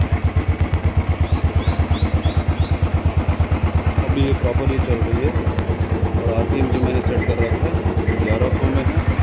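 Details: Royal Enfield Thunderbird Twinspark, high-RPM/smoke issue being troubleshot, restarted with filter blocked off, no throttle: even single-cylinder thump about nine beats a second, no hunting or misses, no smoke; clean idle.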